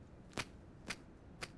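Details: Refurbished device from a third-party marketplace: three crisp clicks about half a second apart, one per press on the screen. The screen flexes and clicks under pressure; cause not confirmed.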